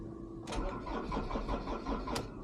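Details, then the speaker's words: Ford Transit Mk7 2.2 FWD diesel, fresh morning cold start: sluggish cranking that starts fast then slows, like a flat battery, and never catches, no dash warning lights; owner suspects the starter motor. "Didn't want to start. Go again. There's no warning lights on the dash. No. Like a flat battery. Started fast, then got slower."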